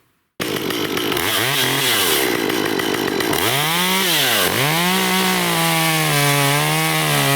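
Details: Stihl MS194T two-stroke chainsaw, serviced for a customer complaint of bogging (fuel checked good), new chain fitted: revs up cleanly, dips and recovers in the cut, then holds a steady high buzz; normal running under load.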